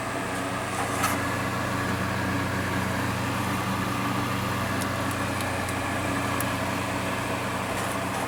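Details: Honeywell TurboForce HT900WMD fan after reassembly, motor and spindle bearing guides cleaned of dust that caused clicking and rattling: steady even hum, low drone, no clicking or rattle, quiet as new; normal running.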